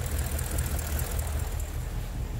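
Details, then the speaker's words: BMW N62 V8 before repair: deep, uneven idle with irregular low thumps and knocking, shaking hard; random misfire across all but a couple of cylinders. "like this misfire the old cylinders except a couple of them and everything it shapes it's even swing even more you see the knocking noise"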